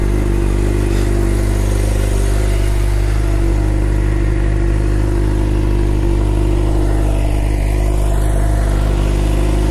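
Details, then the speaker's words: 2011 Suzuki GSX-R 600 after replacing a bad starter relay that caused starting problems: strong, even four-cylinder idle with a steady deep note and smooth revs, no misses or knocks; runs healthy. "there we have it guys fix theory which is up and running"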